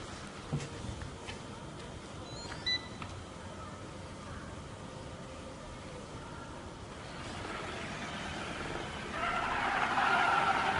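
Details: iCLEBO robot vacuum: a few quiet beeps, then a harsh, unusually loud mid-pitched roar while running; a fault is suspected, cause unknown.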